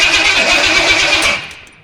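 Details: Studebaker project on first start attempt with weak scavenged battery, spark present: short burst of ragged firing catches about a second and a half then fades; won't keep running. Owner suspects it needs more fuel, not confirmed.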